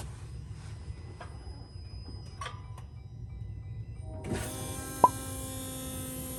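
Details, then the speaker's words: 2021 Jeep Gladiator 3.0 EcoDiesel, 5,000 miles, priming after a fuel filter change with key on: quiet stretch, then a steady electric whir at even pitch; normal fuel pump prime. "So that's what I was talking about. You actually hear the fuel pump turning on. Now, you can imagine it only pulls in a little bit at a time."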